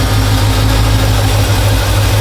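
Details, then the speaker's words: "Iron Man" V8 truck at idle; after a burnout following a transmission reinstall it nearly stalled and was skipping. Now a deep, even burble with no stumbling or skipped beats; sounds normal, timing may still need slight adjustment (to be checked with a timing light). "Might still need to mess with the timing just a little bit, but it is running. Does sound better. Does sound normal."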